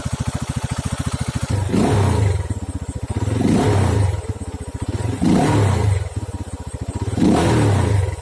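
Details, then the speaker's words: RUSI Flash motorcycle single-cylinder engine after a first-time DIY valve clearance adjustment; even idle with crisp throttle blips rising and falling cleanly, no valve tapping, now quiet. Normal idle. "ayan guys, after yung ating valve clearance ay tahimik na yung andal ng ating makina."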